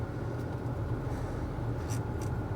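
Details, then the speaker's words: 2010 Ford SVT Raptor, 6.2L V8, 118k miles, cabin with AC on: steady, even airy rush over a low cabin rumble, no rattles or squeals; AC and heater blower working normally. "AC works again I've driven this truck a lot so AC works heater works you can hear it blowing"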